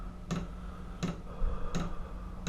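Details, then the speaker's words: Chinese diesel air heater just started in a freezing garage during a polar vortex: fuel dosing pump just kicked on, sharp even ticks about every 0.7 seconds (~80 per minute) over faint hum; normal. "fuel pump just kicked on we're gonna let this thing run until the fuel's gone and then i'll show you what time it is and what temperature we got"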